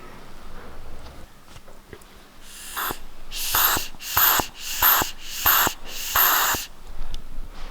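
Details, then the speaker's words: Fuel tank one-way breather valve, air sucked through it by mouth: about five short whistling hisses over a quiet background as the valve opens; normal breather operation. "Don't know if you can hear that, but that's the little valve opening when I'm sucking through there. So it's a one-way valve basically, and then you've got another breather on the actual tank end as well."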